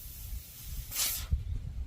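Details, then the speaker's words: Turbro mini split installation: a short sharp hiss of gas as the line-set cap comes off, showing the factory nitrogen charge held with no leak, which is a good sign. "There was nitrogen, and that's a good sign."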